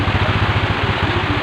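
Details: Honda Revo Absolute carburetor motorbike that kept stalling, after fitting a new kiprok (regulator/rectifier) with the battery disconnected: steady, even low thump at idle with no misses or stumbles; the engine idles smoothly.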